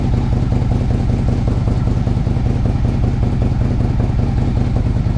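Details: Two Harley-Davidson Ultras (2007 and 2009), big V-twin started in neutral after compensator work and starter motor work for starting issues; catches and settles into a lumpy, even idle with steady firing pulses, no clatter; sounds healthy.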